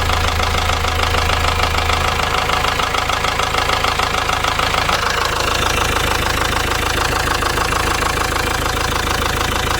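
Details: Ford Transit Mk7 diesel bought as spares or repairs, running with rocker cover off: steady even tapping about three times a second over the idle clatter; bent valvetrain part found near rear cam, cause of the top-end knock.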